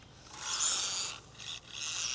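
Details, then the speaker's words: Hobby Plus 1/24 Speck brushless short course RC truck after off-road driving, twig found in the drivetrain: a raspy, high grinding that surges with motor bursts; the owner suspects a damaged plastic gear, not confirmed. "No, still making that noise. Might have damaged one of the plastic gears by being out here off-road, because it still has a weird drivetrain noise."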